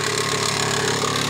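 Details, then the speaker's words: 2001 Mitsubishi Montero Limited 3.5 V6 with a loud engine noise at idle: quick, regular light knocking that keeps pace with engine speed, caused by a failed timing belt tensioner leaving the belt loose. "the reason that noise coming from is because that particular part here that's the presentation error for the Bell as you can see the Bellas loose is not tire really"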